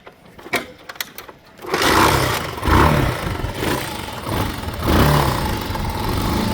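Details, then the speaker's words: 1984 Honda TLR200 (JDM MD09) single-cylinder bike, 4,901 km, freshly serviced with new air filter and plug, automatic decompressor, kick-started slightly cold: a few kicks, then a quiet, even thump with no rattles or knocks; normal cold idle. "A little bit cold. As you can hear, lovely and quiet. No rattles, no knocks I should say, and just overall a beautiful machine."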